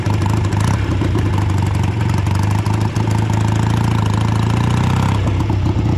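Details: Home-built BSA twin-cylinder chopper on its first ride in many years, a half-mile road run in light rain. A deep, uneven thrum with irregular stumbles, as if one cylinder lags: a misfire under load. Owner suspects carburetors or ignition; fixes so far haven't helped and it never fully dies.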